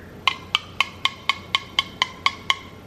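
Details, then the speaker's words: Home-canned chicken tortilla soup jar lid tapped ten times, about two a second, each giving a clear high ping; button top flat, lid properly sealed. "how it makes like that pinging sound it's also flat I can't push the button top and then when you're testing your seals you should be able to pick it up by the lid and it should not come off that sucker is sealed on there"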